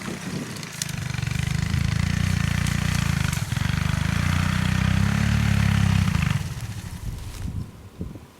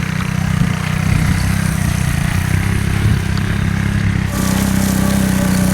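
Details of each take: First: 1984 Honda ATC three-wheeler, single cylinder, riding in first gear: runs evenly a few seconds, then sags and dies as if out of fuel despite gas in the tank; carburetor suspected, to be cleaned. Fuel-starvation stall. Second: 1984 Honda ATC three-wheeler, single cylinder, after cleaning a debris-filled carburetor bowl and clogged main jet, dragging over grass: steady low drone pulling evenly, slight pitch rise near the end. Normal running under load.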